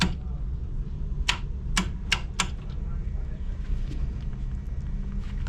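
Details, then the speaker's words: Repeated relay-like clicking inside the panel of a York 4-pipe fan coil unit (not heating or cooling, fan not running): sharp, dry clicks about half a second apart over a steady hum. The tech suspects a loose connection, and the clicking stopped after handling the wiring. "might be some sort of loose connection here it's got to be when I did all that something's Loos in here it doesn't do it anymore"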